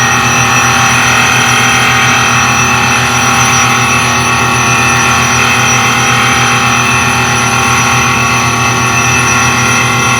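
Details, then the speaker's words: Highland Park Shaping Machine Model SM1 (1 HP motor) grinding at slow rotation: constant uniform grinding hiss, steady motor note, no rhythmic catching; nice even cut all round. "That sounds like it's making a nice even cut."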